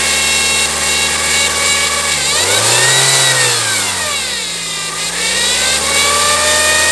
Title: Engine noise CR-V